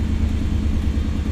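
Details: 1991 Pontiac Firebird Trans Am after a new water pump and battery: a steady, even low idle rumble with no dips or stumbles. The dash gauge holds charge, where before voltage dropped near 8 and the car stalled. Normal idle.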